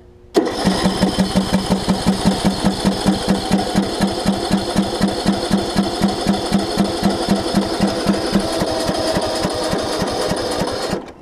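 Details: John Deere LA105 riding mower, sat outside about three years, bad starter solenoid being replaced: steady cranking about four turns a second for ten seconds, never fires; cranks but no start, owner suspects spark plug needs cleaning.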